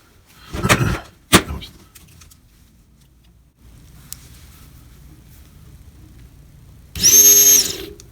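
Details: Replacement fuel pump motor for a 2003 Crown Victoria with a cold-weather no-start, compared against the scraping old motor: after handling clunks, a short, clean, even whir spins up and stops; a good pump motor.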